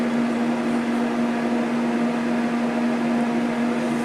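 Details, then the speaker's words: New multi-room humidifier from Lowes: steady loud fan whirring with a constant low hum and no change in speed. Runs noisily at its top setting. "Hope you can hear me over top of that thing, because it's freaking loud."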